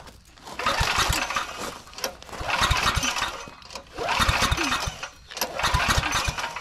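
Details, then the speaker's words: Generac 5000-watt generator recovered from the trash, with a new carburetor; four pull-starts each catch briefly and die at once because the miswired kill switch has continuity between its terminals, grounding out the ignition. "It is wired because with that switch in, you have continuity between those 2 terminals, which means you're grounding out. So we do have it miswired."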